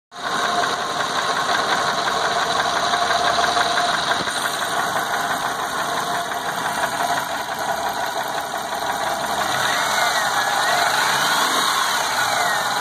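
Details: 2004 Subaru Legacy 35th Anniversary Edition sedan at idle after timing belt jumped 3-4 teeth and belt and pulleys were replaced; light quick tick about three a second over an even idle, drives fine, owner wonders if a valve was damaged.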